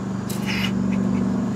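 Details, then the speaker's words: Early 1970s Sears Coldspot Viewsaver window air conditioner with auto fan-speed energy saver, running and blowing cold: a steady low hum with a brief raspy chirp, because the fan motor bearings are a little worn. "Bearings are a little gone on it, but that's okay."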